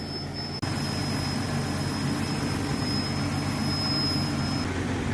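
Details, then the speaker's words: Jeep MJ at early-morning idle: thin high squeal over the steady idle for about four seconds, then cuts out while running; comes and goes, suspected vacuum leak tied to the evap system as the purge valve cycles. "You guys hear that high-pitched squealing noise? That's a vacuum leak."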